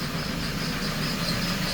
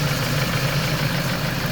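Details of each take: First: Warm idle after a water pump replacement and coolant bleed, no leaks: a thin, high chirping squeak in fairly regular bursts, with pulleys singing. The owner may need to upgrade a pulley; the cause is unconfirmed. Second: Warm idle after a coolant bleed, with the earlier pulley chirp gone: a steady, even hum with no belt or pulley singing, so the engine sounds healthy.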